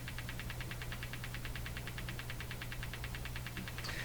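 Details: Hammarlund HQ-180 receiver audio-stage motorboating with steady putt-putt pulsing of about seven beats a second over low hum. It behaves differently on the AM and CW detectors, and the noise limiter affects it.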